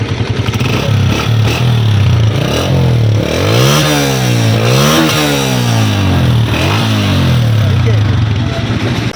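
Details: Honda 125 after a sound repair (a nut loosened by vibration, washer changed and refitted): smooth blips rise and fall in pitch with the throttle, a clean, even exhaust beat with no rasp or leak puffing.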